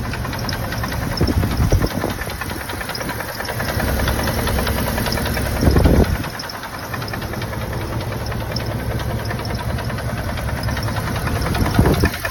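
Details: 1995 Dodge Ram 2500 HD 5.9L gasoline at steady idle: a regular dull bottom-end-sounding knock tapping along with the firing; owner suspects piston slap, not confirmed.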